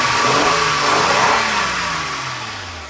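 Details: $200 1998 Honda Accord 3.0 V6, revved: pulls up smoothly and winds back down cleanly, with even pitch and no misses or knocks. Mice had nested in the tailpipes and it stinks when run, but it sounds healthy.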